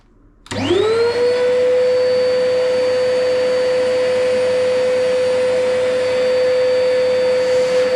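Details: Chip extractor that had developed a cutting noise, owner suspecting a motor bearing, after repair: spins up quickly to a steady, clean high whir with one even tone, no scraping or grinding; runs healthy.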